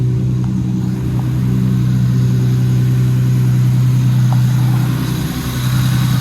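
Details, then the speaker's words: Lexus SC300 being finished with fitment, power steering and cooling system work, given light "baby revs" to about 1,500–2,000 rpm: smooth low note rising and falling gently, even firing with no knocks or ticks, sounds really good; normal light revving. "Those are baby revs. That's probably like 15, maybe 2 grand. Sounds really good."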